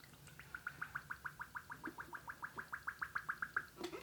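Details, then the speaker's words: 2000 Honda VFR800, de-linked independent rear brake being bled with DOT4: quick gurgling bubbles, about three a second, pop in the rear master cylinder reservoir as fluid is pumped; air purging, owner suspects air may be stuck in master cylinder. "can hear the air coming out."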